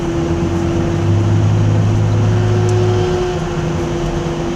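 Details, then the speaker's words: 2002 Nissan Frontier driving: steady drone with a low hum swelling and fading over road noise, sounding like the whole back is falling apart, quieter the more it is driven and not affecting handling; worn rear differential. "more I Drive around it gets quieter but it sounds like the whole back of the car is gonna fall off however is not affecting the way the car drives at all well then sirs sounding really really bad"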